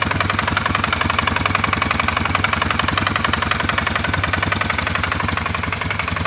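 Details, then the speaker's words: CFMoto 500 ATV engine (single-cylinder) idling, brought in for repair: hard, fast, steady knock about three to four per second over the exhaust; internal engine knock, cause not yet found. "Народ, я его запустил. И вот что мы слышим. Здесь кто-то хочет выйти."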